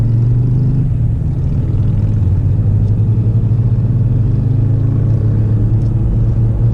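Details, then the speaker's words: Cruising at about 70 mph on tires balanced with glass micro balancing beads: smooth low road rumble, no rhythmic thump or wobble, no vibration beyond normal road bounce; tires rolling true and balanced. "so we're cruising along 70 and there's no vibration whatsoever other than the typical bounciness of the road but it feels pretty good"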